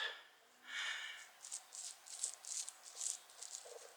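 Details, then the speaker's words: 1968 Pontiac GTO wheel bearing after noise began driving home from a car show; hub cleaned out, seal in good shape. Hand-spun bearing gives an uneven gritty rasp with catches each turn. Owner suspects the outer race wasn't fully seated. "there's some catching and some grally going on in there"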